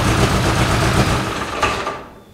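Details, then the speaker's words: 1973 MG Midget parked over 40 years, now starting right up: small four-cylinder idles evenly and smoothly, no knocks or ticks, smoke from burning oil, dirt and mouse droppings off hot parts; normal idle. "well i mean it's burning oil off the hot parts of the engine but it's all the dirt dust and mouse poop actually runs pretty good starts right up"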